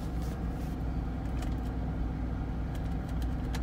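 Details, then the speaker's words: 2003 Chevrolet Corvette C5, sat over five years unstarted, running on old fuel: smooth, quiet, even low idle with a few faint background clicks; good fuel pressure, normal idle, dash warning lights still on. "Got good fuel pressure, and it sounds good. Nice quiet engine. I'm surprised. It actually is running pretty good on that fuel."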